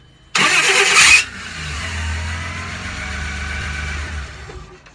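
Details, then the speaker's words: 1997 Toyota Land Cruiser FZJ80 with an aftermarket Mean Green starter: a loud high whir for about a second at start-up, no grinding, then the engine catches and idles evenly; starter whirring, cause unexplained. "put on it had a strange noise upon startup there's no grinding a bit of a whirling sound"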